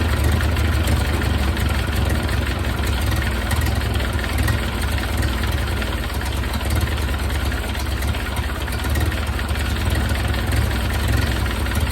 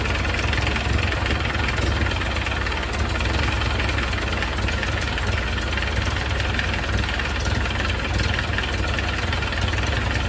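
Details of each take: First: 1931 Ford Model A, long stored in a barn, after distributor cam adjusted for more ignition advance and idle turned down, exhaust hot: deep, fairly steady idle with loud exhaust rasp, no stumbling; runs a little better, carburetor unchecked. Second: 1931 Ford Model A, long stored in a barn, idling after timing adjustment; loud raspy idle with fast even puffing chatter low down; very noisy exhaust leak the owner needs to tighten.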